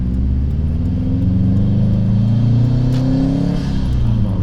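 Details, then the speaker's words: Subaru STI turbo four back on the road after two years off, running old fuel with the ECU relearning after battery disconnect, driven gently without being pushed; steady low exhaust rumble swelling smoothly, no knocks or misses, healthy. "It still makes good sound, even when you're not pushing it. I miss that sound."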